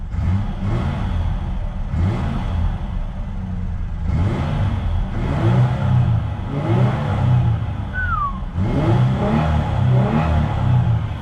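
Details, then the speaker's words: Previously seized truck engine, 231,299 miles at purchase, good oil pressure, exhaust still on, motor mounts likely worn; strong smooth revs rising and falling every two seconds, clean even note, no knocks or ticks: healthy revving. "oh my goodness does that sound healthy i can't wait to cut the exhaust off"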